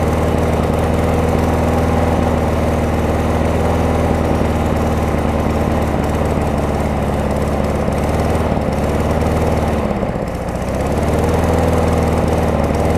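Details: Craftsman self-propelled mower with a Tecumseh engine, after a carburetor and air filter housing swap: runs at a steady, even pace with one brief sag near the end that it recovers from; running well.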